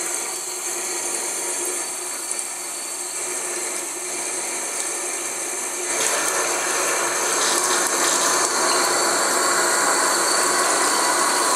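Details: Newly installed Tres Griferia Cuadro bathroom basin mixer tap: water running with a steady, fast mechanical chatter and high hiss through the tap body, louder midway. Supplier, contractor and a manufacturer fix failed to cure it; source inside the mixer unknown.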